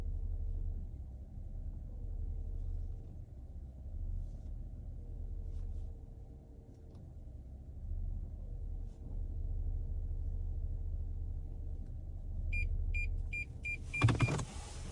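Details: A deep, steady drone fills the cabin, with a faint mid-pitched tone coming and going. Humming noise, source not pinned down.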